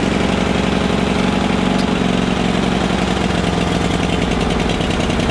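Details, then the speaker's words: Toro Greens Aerator, sat out in the rain, battery replaced; warmed briefly on half choke, then runs rough with choke off, beat wavering and never settling; needs carburetor work, likely fuel-starved off choke. "i need some carb work it doesn't want to work with the choke off"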